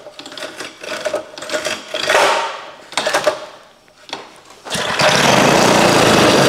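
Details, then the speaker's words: 1956 rototiller engine, primed again with a little fuel in the carburetor, rusty tank with old gas: uneven pulls, short sputtering bursts, brief rough run that won't sustain; carburetor needs work. "well I guess that's all she's going to do without working on the carburetor"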